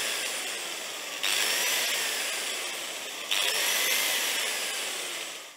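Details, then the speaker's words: Hitachi G10SR3 angle grinder with intermittent running, cord wobbled while running: high whine sags and surges back twice before spinning down; diagnosed as broken cord wire, brushes first suspected. "that sounds like a broken wire"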